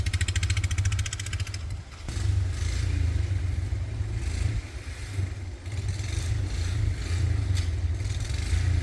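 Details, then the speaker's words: 1940s Whizzer motor bike single, long stored, test run with choke off and leaking slightly: steady lumpy thump, revving cleanly with no knocks or misses; runs healthy. "this no canceling mic probably shuts off the good noise it's fired right up let me get rid of this"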